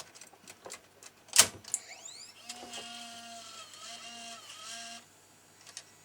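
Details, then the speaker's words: Sony DSR-570 camcorder, opened up during a tape-curl guide alignment: a few clicks, then short smooth whirring motor runs as the reel position adjusts for full-size tapes. Tape loading mechanism works normally. "it has to be able to adjust the position of the reel so i'm just checking that that still works all right and it does"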